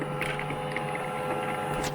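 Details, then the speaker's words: Brother MFC-9440CN laser printer after clearing a rear jam and cleaning old toner chunks: steady whir with uneven clicks and rattles through the feed cycle; abnormal mechanical noise, cause unclear, though printing resumed. "oh it doesn't sound good at all hear that there's a bad sound"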